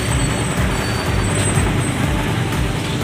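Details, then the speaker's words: Suzuki Raider 150 motorcycle after repair of a loud typewriter-like rattle: steady, even idle with no tapping or rattle, music in background; engine quiet and healthy. "Ayun, tahimik na yung kanyang engine, ano? Okay, umaandar na yan mga kaibigan."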